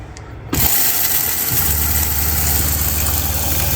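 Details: RV fresh-water pump under the bottom bunk next to the water heater: it kicks on into a loud, low droning hum with a steady pulse, vibrating the whole RV. Replaced with a new low-noise pump.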